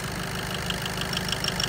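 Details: VW Golf with DSG, diesel, heard through a stethoscope on the engine: sharp, even light ticks about six a second over a steady idle; noisy injector ticking in a neglected engine.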